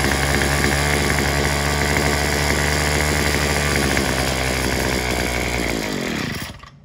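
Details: Craftsman WS210 trimmer after a carburetor replacement, with the bulb and diaphragm parts swapped onto the new carb. It holds a fairly steady mid-speed buzz without climbing to full revs, then dies away; it won't reach full throttle or idle, cause unclear.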